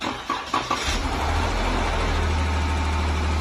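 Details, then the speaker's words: Dodge Durango engine after repair of jumped timing that bent all six intake valves, fully reassembled: a few cranking beats, then it catches cleanly and settles into a steady, even low idle with no knocking or stumble. "No bumping, no rumping. No bumping, no dumping. None of that, huh?"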